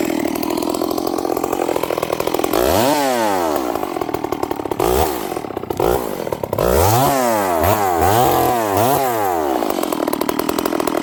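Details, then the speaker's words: Stihl 038 Magnum chainsaw with carburetor issues: crisp revs, but each return to idle burbly and lazy, sounding very rich, with a stumble off idle. "This saw it sounds crisp. It's revving, but listen to how it comes back down idle. It sounds really rich."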